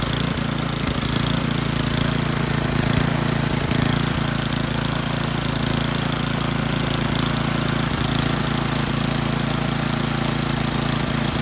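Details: Old Toro 824 Power Throw snow blower, 8 hp Tecumseh single-cylinder, bought not running, old gas drained and inline filter added; after priming it starts and chugs at a steady, even beat with no misses or knocks.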